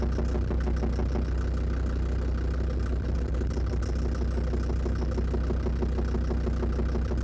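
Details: Land Rover Defender TD5 diesel idling after radiator work; light regular tap about three per second, newly louder, owner suspects exhaust manifold, most likely faulty hydraulic lifters; unconfirmed engine knock.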